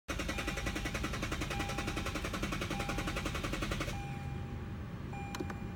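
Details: Lexus that won't start: quick, regular clicking about three or four times a second for several seconds with no engine catching; a no-start with rapid clicking.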